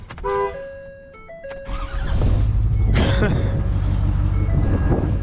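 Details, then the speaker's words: Pickup truck: short run of stepped electronic beeps over background noise, security alarm warning after the door was unlocked. "Oh, my car truck is going to start beeping at me."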